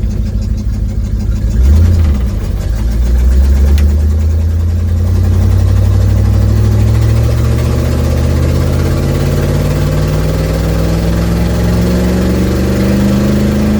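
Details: Ford Mustang 1972 with an exhaust leak, pulling away while driving home, phone mic on the dash: deep exhaust note climbing steadily with a coarse, puffing rasp under load.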